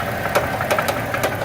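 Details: 2007 Dodge Dakota 3.7 V6 at idle: heavy, hard metallic knocks about every third of a second; rod knock, engine has slung a rod.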